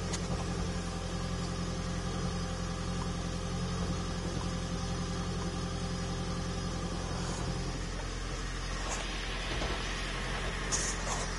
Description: Toyota Prius Violent Engine Knocking Rattling Noise.